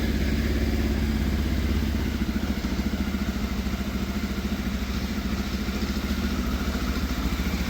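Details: Fire-damaged Yamaha FZ750 four-cylinder, 41,000 miles, started on jump pack after throttle cable and idle screw adjustment: uneven, lumpy pulse about three beats a second, sagging note; rough running, all four firing but unhappy, cause unclear.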